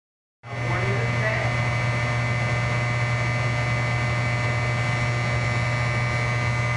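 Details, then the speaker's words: Electric furnace: a loud steady low buzz with no change throughout, from a buzzing contactor that needs replacing. "Replace this buzzing contactor."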